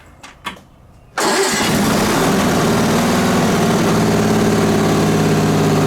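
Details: Onan BF-MS 16hp twin with DD11 carb, after the carb-mounted pulse fuel pump was rebuilt: a couple of cranking clicks, then it catches and settles into a steady, even run. No leaks after a day, slight smoke on startup, ran fine half an hour, slightly low on oil.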